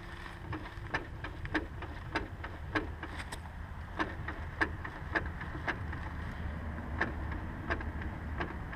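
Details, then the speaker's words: Honda S2000 driveshaft (propeller shaft) turned by hand via wheels: sharp dry clicks about every half second, irregular, with sloppy play; noise heard for a while and worsened; owner believes shaft needs replacing; worn driveshaft clicking. "you can hear that clicking sound and that's what I've heard that sound for a while since I've had the car I just thought you know the drive chef's just a little bit of play but it's become so bad now that if I believe it needs to be replaced"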